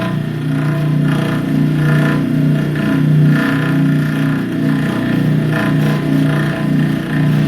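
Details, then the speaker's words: Bryant/Carrier package AC unit, recorded close to the blower motor: rough, churning low drone with an uneven flutter like a lawnmower, frame and mount not loose, from a worn blower motor approved for replacement with its pulley and belt. "There's a definite noise coming out of that motor. The frame's not loose."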